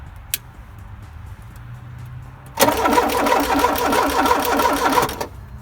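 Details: 1984 Porsche 944 after engine reassembly, replacement fuel tank and filter, aftermarket alarm and wiring issues: even starter cranking about three turns per second for roughly 2.5 seconds, spins freely but never fires despite injector pulse present.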